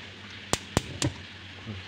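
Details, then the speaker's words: Built-in glass-top gas stove (kompor tanam) burner with delayed ignition: three sharp igniter clicks, a small pop/thump, then a soft whoosh as the burner lights late; the stove's middle ring partly fails to light and small pops occur. "Ini langsung tidak menyala ya, guys, ada meletup. Sudah menyala."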